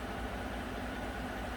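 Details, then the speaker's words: Normal smooth idle, soft even V8 rumble, of a 2014 Chevy Silverado 5.3 V8 after oil pump replacement for recurring code P06DD; switching the solenoid changes oil pressure 40 to 54 psi at idle, now working fine. "40 to 54 so 14 pounds of difference and that's at an idle i'm going to save this list but it seems like it's working fine now"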